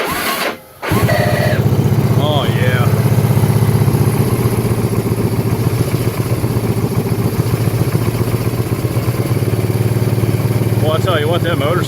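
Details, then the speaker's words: 1984 Kawasaki Prairie KLT250 barn find, first running after years of sitting. The single cylinder thumps at a steady idle of about four beats a second, with no tick or knock, and sounds healthy. "good why Wow unbelievable I mean that motor doesn't even have a tick to it that's crazy"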